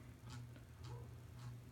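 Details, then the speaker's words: 42-inch Hampton Bay Littleton ceiling fan at medium speed with one blade bent from hitting a door: quiet hum with a soft tick about twice a second, once per turn, from the blades vibrating. "Now you can hear the blades vibrating. And I tell you, if I run this during the summer when I'm actually going to need to start running it, that's going to get pretty annoying."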